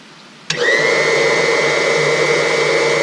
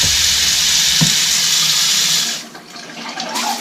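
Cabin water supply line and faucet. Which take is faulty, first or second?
second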